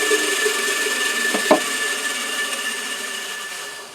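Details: Lathe electric motor that had only hummed (owner suspected the starter winding was not engaging) now runs after its wiring polarity was found reversed and corrected: a steady even hum with a thin high whine, one brief knock midway, then a smooth wind-down.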